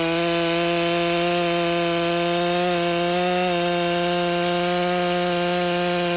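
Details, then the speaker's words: Stihl MS661 C-M chainsaw rebuilt after being declared a total loss, cold start on dry carburetor, first cuts; slightly rough gurgling four-stroking, then pitch lifting as the M-Tronic electronic carburetor dials in its tune. "Now, you could hear that on that very first cut. go back and watch it again. You'll hear it four stroking is it's gurgling."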